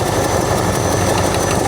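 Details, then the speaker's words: 60-year-old Ford Galaxie idling hot: steady rumble with a thin, constant high-pitched hiss; owner suspects a vacuum leak, location not found, and also noticed a slight tap. "I also hear a I hear a hell of a vacuum leak somewhere. You hear that? Where that's coming from."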